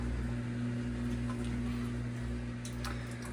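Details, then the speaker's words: 15-year-old Whirlpool Duet WFW9450WW00 washer on a quick cycle, with a replacement drain pump fitted over a year ago and the pump filter cleaned: a steady low hum under rushing water, no grinding or rattling; normal drain pump operation. "So, you hear this pump on the bottom. It works perfect. I haven't had issue with the pump."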